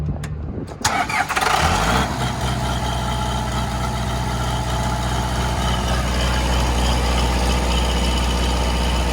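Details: 40 kW John Deere diesel generator trailer at 3722 hours: brief crank, then catches and settles into a steady, even low diesel idle with no knocks or misses; normal idle.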